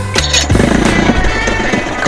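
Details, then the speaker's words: Johnson 25 hp two-stroke outboard after about 30 minutes submerged, being dewatered, cranked with starting fluid on a weakening battery: a few sharp pops as it catches, then falters and dies instead of staying running. "It's just not staying on, so let me see if I can crank it and blow at the same time."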